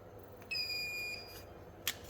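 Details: Dead Asus TUF FX506L laptop, short killer injecting up to 2.5 V at 3 A into the shorted main power rail: brief steady high tone while a spot near the memory heats to 56°C; short from a bad MOSFET.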